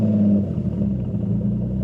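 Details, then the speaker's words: Twin-turbo Infiniti G35 with built VQ engine, cold start: starts fine, then idles low, lumpy and hunting, sputtering and nearly stalling; no codes, owner suspects fuel-related cause; new throttle body. "Starts up fine. Take my foot off, no pedals. She starts to sputter like right here. There it goes. Oh, it can't even stay alive."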